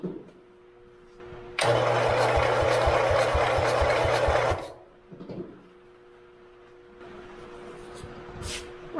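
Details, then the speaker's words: Forgotten lawn mower, previously seized engine freed with vinegar, new ignition coil fitted and spark confirmed; starter cranks evenly about three seconds but never fires; plugs later found in very bad shape. "two is not successful so i'm gonna pull my plugs off and see if they're sparking"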